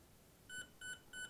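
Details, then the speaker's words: Emax BLHeli 20A ESC being programmed through the transmitter: three short, even, mid-high beeps on a quiet background signal the motor-direction menu option. "it'll go into the into the menu now it's in the menu so we'll let it now we're that's timing Mode start Force curve mode control frequency low voltage protection cut off mode mode of Direction"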